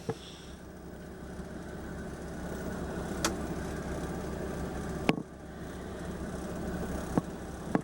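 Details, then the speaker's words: Generator on a 1994 Itasca Suncruiser 34RQ diesel pusher (Oshkosh chassis, 230 Cummins, 137,243 miles), low on fuel: steady, even low hum with no misses or knocks, a few handling clicks over it; normal running. "And I don't mind showing you the generator runs. I just can't run it very long because it'll run out of fuel. And obviously you can hear it run."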